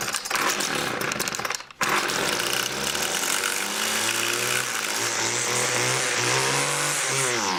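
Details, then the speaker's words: Homelite two-stroke: buzzy engine dies briefly, then catches and runs with wavering pitch climbing and sagging; rough running, carburetor needs adjusting. "pull it about six times the choke on [ __ ] fires up it's not around the grass it definitely needs to be adjusted"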